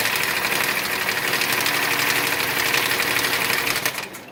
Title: 2014 Kia Cadenza engine knock